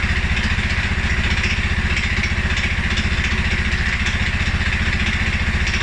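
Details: 2011 Polaris Sportsman 550 XP with a cold-start stumble, also after riding or revving. Low single-cylinder thump at about 220 beats a minute with slightly uneven pulses. Dealer-checked TPS, IAC and TMAP are in spec; valves, timing, new plug and 43 psi fuel pressure are good. Rough low idle, cause unknown.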